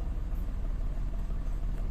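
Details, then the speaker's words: Mitsubishi Mirage with cylinder 3 misfire and bank 1 sensor 1 O2 low-voltage codes, coil replaced; with aircon on, deep uneven idle rumble wavers and dips, strong shaking, worse than without AC; cause unconfirmed. "Ay, naka-aircon, nanginginig oh. Ayun. Ang lakas. Nginig na nginig. Yan na siya oh. Gumagalaw, bumabagsak-bagsak."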